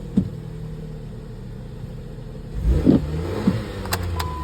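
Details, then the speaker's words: Used car at a wholesale auction preview: even idle with one quick throttle blip that rises and settles cleanly, with no knocking, lifter or ticking noise; coolant slightly low; the engine sounds healthy. "sounds good"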